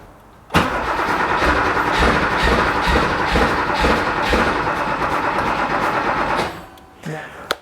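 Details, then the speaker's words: Porsche 911 2.8 RSR build engine cranking steadily but never catching; earlier problem was no spark while cranking. Now suspected fouled plugs, not firing properly, while fueling is being adjusted. Cause not confirmed. "well now it doesn't want to start we're thinking it's actually probably the plugs are fouled yeah it's it just it's not really firing properly"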